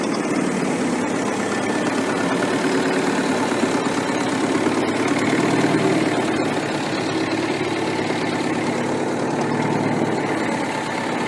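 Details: Restored Ferguson TEF-20 diesel tractor, 98% complete: steady even tick-over with smooth unbroken beat, no knocks or rattles; normal healthy idle.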